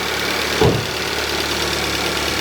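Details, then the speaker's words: 2016 Kia Soul after replacing an engine with no compression and coolant in cylinders, first start of new engine: steady, even, quiet idle with no misfires, one brief early thump; healthy. "Well, this sounds pretty good. No misfires. Runs quiet and steady."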